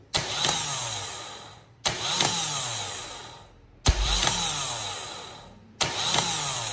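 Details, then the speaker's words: Vectra starter tested with jumped positive feed: four separate starter bursts about two seconds apart, each kicking in and dying away unevenly; intermittent engagement, possibly from poor contact and a loose screw. "Teve uma hora que eu que eu coloquei aqui o positivo ele meio que deu duas ativadas isso aí pode ser um mau contato tá"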